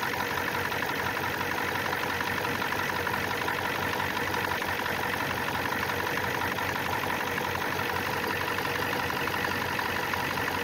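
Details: 1994 Ford F250 turbo IDI diesel idling while checked for injector fuel return line leaks: steady even clatter, no misses or knocks; runs fine but one return line behind the front injector is leaking badly.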